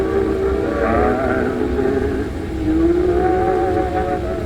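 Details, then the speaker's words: Zenith H725 AM/FM tube radio, before capacitor replacement: strong at switch-on, then music grows harsh, distorted, weaker and fading; owner suspects a vacuum tube or a leaking capacitor upsetting bias. "I keep continuing our it's starting to get like a distortion. And you can see it's already starting to, the sound is starting to get really distorted and weak, and it's fading."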